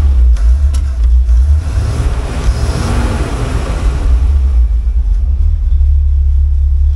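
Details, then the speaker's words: Dodge truck fitted with a Chevy 350 roughly seven years ago, project left unfinished, still on old stale gas: heavy, uneven low rumble with surging revs, running rough and a little cranky, as expected. "on old gas it's a little bit cranky but that's okay it's expected"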